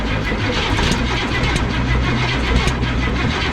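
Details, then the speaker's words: Abandoned 1969 Cadillac V8, about 55 years old, cranked on its freshly bolted-up starter after missing wires were sorted and spark was restored, with the pedal held to the floor: it turns over steadily but never fires, a crank-no-start. "yeah yeah is it moving yeah at a loss still nothing"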